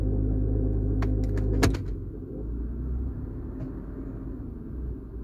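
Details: Cold engine start after drive belt replacement, automatic in Drive or Reverse: a few sharp clunks, then a deep, loose low rumble that vanishes in Neutral and grows with 100–200 extra rpm; source not yet pinned down.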